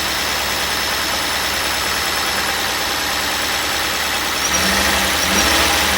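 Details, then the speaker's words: 1998 Cadillac Seville STS Northstar 4.6 V8 with blown head gaskets, previously hydrolocked and frozen, first start: uneven stumbling idle with irregular beat and slight surge, clearly misfiring but no knocking heard. "No, she ain't happy. I'm going to stop it right there. I'm going to stop it right there. That actually sounds way, way, way better than I ever thought it would. It's got a misfire for sure, but I don't hear knocking or anything like I really thought I was going to."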